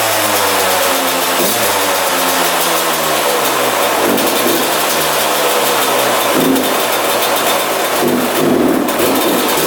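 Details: 2001 Yamaha YZ125 two-stroke, first start after fresh top-end rebuild, new pipe and cleaned carb: crackles and revs, then fast hunting idle that won't drop; owner thinks extremely loose intake manifold sucking air causes the high idle.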